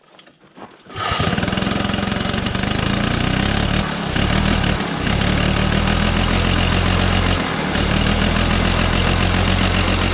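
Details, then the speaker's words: 1969 Polaris Colt 303 Wankel rotary snowmobile after years of sitting, muffler packed with mouse nest, carburetor being adjusted: loud, uneven running with stumbles, won't rev up; rich mixture. "It doesn't want to rev. It won't rev up. She's rich."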